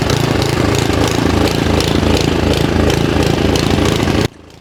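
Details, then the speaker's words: Simplicity SS922E single-stage snowblower, just serviced, running outdoors about 50° colder than the 60° garage where it ran fine: loud engine with slight rise and fall in speed; mild surge, owner suspects carburetor needs more cleaning. "you can hear that this is surging a little bit but when I got done with the service in the garage where it was about 60° it ran fine but right now it's about 50° colder so uh I guess I got to clean that carburetor a little bit more"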